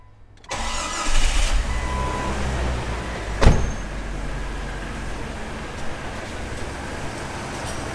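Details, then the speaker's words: XJ project engine at start: quick crank, clean catch, then a settled, even idle with no ticking or misses, purring. An earlier running problem first feared to be a rod or spun bearing turned out not to be. "looky there now she's actually purring like a kitten"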